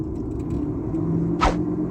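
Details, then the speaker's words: Car stationary with handbrake on and engine running in 4th gear: a low, steady droning, aircraft-like hum from a worn front wheel hub bearing, louder on one side and felt near the dashboard and footwell. "ये देखें जैसे कोई हवाई जहाज़ जैसे साथ साथ कुछ चीज़ एक अलहदा ही चल रही है ना, गूं की ऐसी आवाज़, अलहदा साथ आवाज़ आ रही है, बहुत ज़्यादा शोर।"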